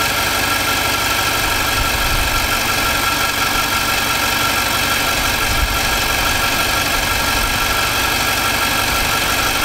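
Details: 2018 Nissan Armada V8 after a new short block, about 3,000 miles on it, replacing an engine that knocked like a diesel: steady, even idle up close with no knock.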